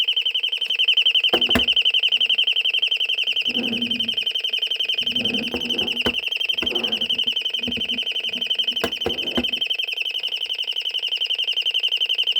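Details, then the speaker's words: Royal Smoke, Gas and Fire Alarm, estimated late 1970s or 1980s, speaker-driven rather than electromechanical or piezo, switched off again: shrill high tone pulsing about three or four beats a second, steady throughout. It ran its test mode, and the alarm is working. "It did a test mode this time, which is good. That's cool. A test thing."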